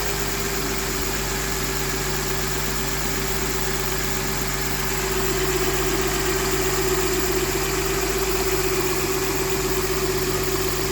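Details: Mercedes M272 V6 at idle: steady idle with a fast, even light tick riding on top, roughly four per second, clearly audible over the engine hum; ticking at idle.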